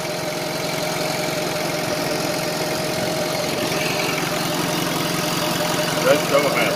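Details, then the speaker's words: Honda after installing a junkyard replacement radiator; it still tends to smoke for unknown reasons. Quiet, steady idle with an even rhythm and no misses or lumpy beats; not idling rough, a normal purr. "and it's not idling rough either just need to make sure it doesn't smoke anything listen to that purr"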